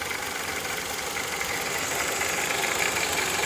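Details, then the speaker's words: Light, fast ticking of about four per second over a smooth idle on a VW/Skoda/Audi 1.8 TSI. It is felt at the oil filler cap, not the cam cover, and comes from a faulty oil pressure regulation valve. It is often mistaken for camshaft noise, and no MIL light comes on. "But that is a classic symptom, and this thing can be mistaken with a camshaft noise."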